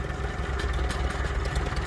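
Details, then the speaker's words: Farmall Super C antique tractor after a Seafoam treatment: slow, even low thump at idle with a faint light "ting" clatter up top. It settles and runs steadily with no misses; a normal, near-perfect idle despite a slight dirty-fuel issue. "Other than the ting, ting, ting up top, I think that's a perfect idle."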